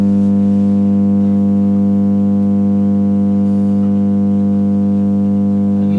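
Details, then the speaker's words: Marshall MG30 CFX guitar amplifier, surface-mount, with no signal output, makes a loud constant low hum with buzzy edge unaffected by any control; mains hum, cause not yet confirmed. "the problem with this amp is that it makes a horrible loud hum"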